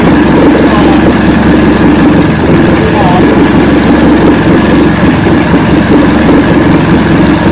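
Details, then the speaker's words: 1970 Evinrude 85hp two-stroke outboard, hydro-electric shift, about 50 years old, new water pump impeller, just started on key with choke, in a water container: steady even popping idle with water splashing; runs smoothly and healthy. "so choke and ignition so cross your fingers people hey we have life all right that's the secret i think"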